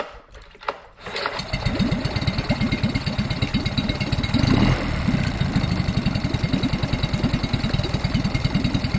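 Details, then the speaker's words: Small two-stroke outboard after fitting a new impeller, which pumps water much better: it catches after a couple of pulls and settles into a fast, even putter with no misses. Running normally. "all right with that new impeller it's pain a lot better"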